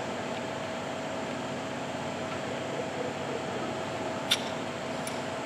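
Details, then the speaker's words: 2001 Cummins during a head gasket replacement, engine off. A steady soft hiss, with gurgling and small clicks, comes from the middle head bolt holes as the bolts are cracked loose; the outer bolts don't do it, cause unknown. "when you crack these middle bolts if you listen to it you can hear hissing coming out and I have no idea what that is"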